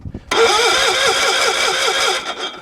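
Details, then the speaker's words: Cold-weather start attempt on a small engine: fuel pump heard priming, choke on, push-button start. The whining starter wavers for about two seconds without catching; it cranks but won't start. The owner then notes the fuel needed turning up. "there comes the fuel we'll pull the choke on and hit the button doesn't seem to want to start"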